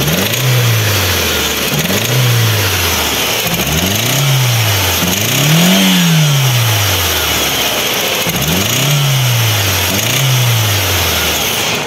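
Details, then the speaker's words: Ford Zetec Rocam 1.6 8V that overheated after a burst hose, with a blown head gasket and water in the oil: short uneven rev blips, metallic sound inside, running as if on two or three cylinders, weak and stalling when accelerated. "y acelerándolo un poco Suena algo metálico dentro del motor y ahora quiero que veamos el escape como suena suena el motor como a tres cilindros o dos cilindros bueno la cosa es que el motor está inestable y tiene poca fuerza se apaga cuando tú lo aceleras si tiene ese ruido"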